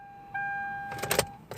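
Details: Hyundai fails to start again, an issue the dealer was paid to look at but did not fix; with the key in the ignition everything lights up and a chime sounds, then only clicks and rattles, with no starter crank.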